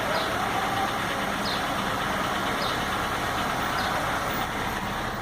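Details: 2004 Honda Fit 1.4 LXL petrol CVT at warm idle: a dry rattly clatter with faint ticks about every second, barely audible when cold. A mechanic said the engine must be opened; the owner later fixed it, cause unstated.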